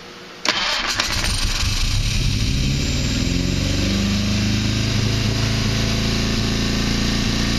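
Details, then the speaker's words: 1959 Triumph TR3A first start after sitting 39 years, with new carbs fitted: engine catches after cranking into a lumpy, uneven idle with ragged exhaust beat, blowing rust out of the exhaust; timing and carburettors still need setting. "So that was exciting. Got her to run after 39 years. Obviously need to work on the timing and on the carbs, but she fired and she ran."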